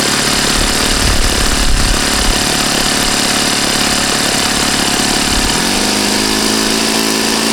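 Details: Saito FA-40a glow engine, 11x6 Master Airscrew prop, Omega 10% fuel, valves set, high-speed needle opened 2.5 turns: fast, even buzz that holds steady, then settles cleanly to a new speed; healthy normal running.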